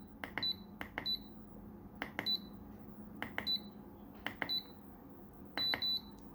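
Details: Programmable electronic load testing a 1.5 m USB 2.0 extension cable: short shrill beeps in quick pairs over faint hum, undervoltage cutoff tripping near the limit; cable delivered only 360 mA versus 500 mA USB standard.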